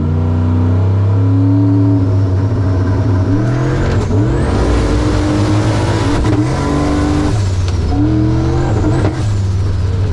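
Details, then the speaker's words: Wagon at a drag strip during a hard run: revs climb, then the pull stumbles with pops and bangs; owner suspects a failing hall-effect cam sensor or a worsening crank sync issue causing misfire and backfire. "Might crank sink issue is getting worse. That's not good."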